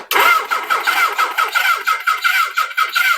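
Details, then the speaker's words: 1979 Suzuki GS1000: starter cranks with steady even compression pulses but it never fires; cylinder three spark weak, other side not sparking at all; no start from weak spark. "cylinder number three had about the same spark as last time I don't know wow this side isn't sparking at all"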